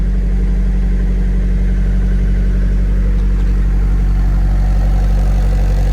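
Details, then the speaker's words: Low-km (54,000 km), basically stock 1999 Nissan Silvia S15 Spec-R idling: steady, even low idle with a smooth exhaust burble and no ticks, knocks or weird idling; a healthy idle. "Exhaust sounds fine. There's no weird idling or sounds."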